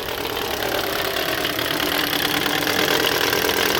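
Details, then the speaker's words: 2013 Toyota Corolla 1.8 16-valve flex-fuel with CNG, idling with A/C on, complaint of noise on acceleration: harsh gritty vibration-like chatter from the belt area that stops when revved, from a failed alternator overrunning clutch pulley. "já fez um barulho lá tipo uma vibração trás l de injeção acesa ouvindo um barulho feio lá acelerou o barulho parou parou largou o barulho"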